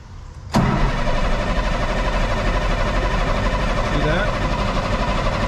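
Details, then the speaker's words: 1998 International 4700 DT466e diesel: steady even cranking about four turns a second that never fires; fuel pressure gauge reads zero though oil pressure shows, after replacing and priming the fuel water separator; crank no start, no fuel pressure. "as you can see look at that zero pressure all right so zero pressure down there and up here you'll see we are getting oil pressure"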